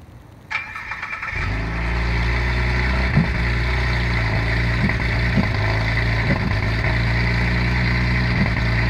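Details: 2011 Cadillac CTS with swapped LFX petrol V6, cold start: cranks, catches and settles into a lumpy idle with stumbles from misfires on cylinders 2, 4 and 6. Attributed to recalled head porosity letting coolant leak in until it burns off.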